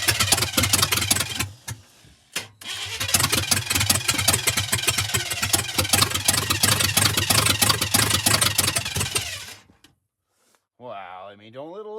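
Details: 1985 Chevy K10 parts truck, fuel added, spark unchecked, after squirts of fuel: fast, steady starter cranking chatters for several seconds, briefly interrupted, never catching; cranks but won't start, owner then adjusts timing.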